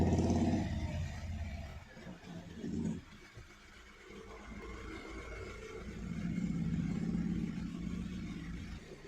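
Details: Hyundai Verna Fluidic 1.6 L petrol, previously misfiring with poor pickup and P2127 pedal sensor code, after accelerator pedal repair and codes cleared: revs up cleanly with no stumble or hesitation, pedal sensor values now normal.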